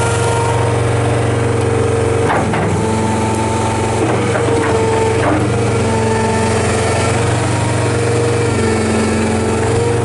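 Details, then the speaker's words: 2011 John Deere 333D rubber-track skid steer, high flow, two-speed, 95 hp diesel, 2,439 hours: smooth, even low drone with no misses or stumbles and a few bucket clunks; does not miss, strong power, healthy engine. "It does not miss. It does not carry on. It has unbelievable power, which I'm going to take it down here and push it to the topsoil pile so you can see that."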